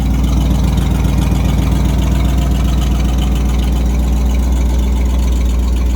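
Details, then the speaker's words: 1990 Ford F-150 V8 idling, prone to stalling when cold: deep steady rumble with quick, even puffing tick from an exhaust leak at the manifold, probably also the donut flange. "but you can hear that exhaust leak coming from the manifold it's also it's probably a mix of the manifold and the donut flange but uh"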